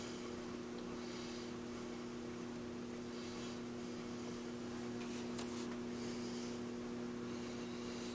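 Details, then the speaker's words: 1940 Stromberg Carlson tube radio being powered up to about 117 volts, receiver producing static: a low, steady hum in the speaker under faint static, unchanging; cause not yet found. Speaker hum. "And I'm hearing a little bit of a hum in the speaker."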